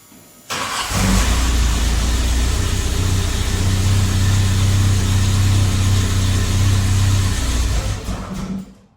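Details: VW Mk1 CIS engine not getting fuel, fuel pump relay bypassed with a jumper: engine cranks briefly, catches and runs steadily, then stalls the instant the jumper is removed, pointing to a failed fuel pump relay.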